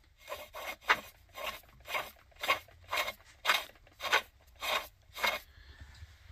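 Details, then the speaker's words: Spicer 4360 transaxle (Poulan Pro tractor) input needle bearing, rusted with grit inside, spun by hand: rough, gritty rasping grind in repeated strokes, where a good bearing should turn silently. "so you guys hear that grinding noise because these should not be grinding you should not hear anything on them as they turn"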